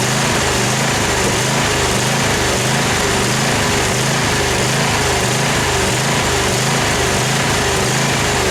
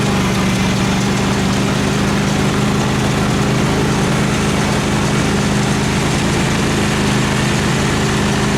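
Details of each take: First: Craftsman FS 5500 lawn tractor: the small engine runs at steady volume but hunts in a regular pulse, under a second per cycle; the owner says dirt in the carburetor makes it surge. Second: Craftsman FS 5500 lawn tractor after its carburetor was cleaned and the breather blown out, mowing under load: a steady, even low drone with no rise and fall; the engine runs well and has quit surging.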